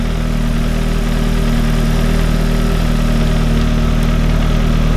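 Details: Audi idling after the fuel pump, twisted in the tank and drawing only air, was repositioned: a deep, steady idle hum with an even beat and no stumbles or tapping. Runs smoothly.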